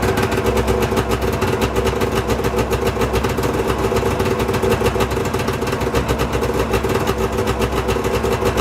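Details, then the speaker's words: Arctic Cat ZL600 two-stroke snowmobile engine on its first run after a top-end rebuild, running smoky indoors: quick, even crackling idle with no misses, knocks or surging. It seems pretty good and runs good. "but uh seems pretty good runs good i'm gonna actually just close the hood"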